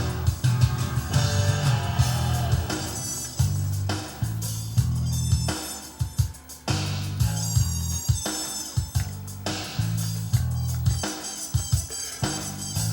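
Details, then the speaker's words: Rotel RCC940 CD changer with a skipping problem, after a tweak, playing a CD-R near track 16: music plays steadily with no dropouts, fuzz or stuttering; reading the disc cleanly. "Or now up to track number 16, still playing. No problem so far, so I'm going to keep my fingers crossed it's continue to play."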